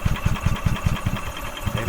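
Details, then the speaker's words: 2012 EZGO TXT gas golf cart, Kawasaki engine, wouldn't start after parking, fuel smell: rhythmic starter chugging, about five low thumps a second, never catching; crank no start, fuel pump working, fuel suspected blocked at the carburetor. "all right so it's not getting fuel's not getting past the carb I'm I'm willing to bet the carbs blocked without question"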